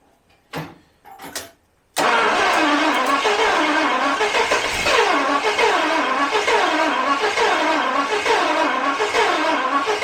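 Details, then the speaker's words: 1977 Daimler Double Six V12, sitting 42 years: a few dry clicks, then steady starter churning at about 3.5 beats a second that never catches, with few injectors heard clicking. Cranks but won't start; cause suspected, not confirmed. "think that's the issue. I'm not hearing a lot of injectors clicking."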